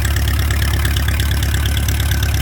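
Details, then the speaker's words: Palmer 60 marine engine after complete rebuild (new carburetor and manifold, rebuilt alternator, new coil, electronic ignition, distributor rebuilt), running with decent oil pressure at idle: smooth, even low idle, no knocks or misses, healthy engine. "and see what happens wow how you like that I got it running and she sounds just great okay got decent oil pressure for idle"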